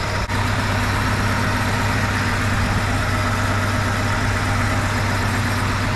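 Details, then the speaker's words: 1971 Chevy C10 idling after cylinder temperature checks; some occasional gurgling possibly sticky exhaust valves, coolest cylinder number one: smooth, steady low rumble, no knocks or hunting, both hoses pressured up; sounds great, normal idle. "both hoses are pressured up sounds pretty good I don't know I'm happy with it sounds great"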